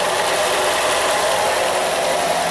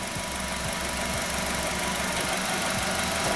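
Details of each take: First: 2013 Nissan Qashqai, 1.6 engine, front-wheel drive, JF015 CVT, about 90,000 km, idling in Park: a constant rough whirring hum that changes with selector position, from a disintegrating input shaft bearing shedding debris into the oil filter. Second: 2013 Nissan Qashqai 1.6, JF015 CVT, about 90,000 km, after repair of CVT noise, selector in park/neutral: even idle with faint steady hum, no whine, clunk or rattle; original noise gone, normal idle.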